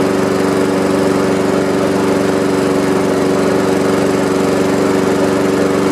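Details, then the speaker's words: Honda HRX217 electric-start mower that sat outside for years, started on third try after likely water in carburetor from washing; smooth, steady single-cylinder hum, even firing: normal running. "Third time's a charm. Well, that was it. I mean, that was an easier fix than I thought it was"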